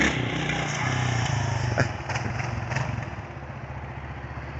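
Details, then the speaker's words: 1992 Kawasaki KLR650 single after carburetor overhaul, electrical issue from fried wire harness still unresolved: fast idle thumping, picking up cleanly with each blip, no misfire or stumble; runs healthy and torquey. "All right, just got the KLR done. Well, at least got it running good. Went through the carburetor on it."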